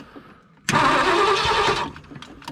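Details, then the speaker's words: 1965 Ford Galaxie 500 sitting for years, first crank attempt with ignition on and a little gas poured in: strong, even cranking for about a second, spinning freely without grinding; healthy turnover. "right, it's turning over good."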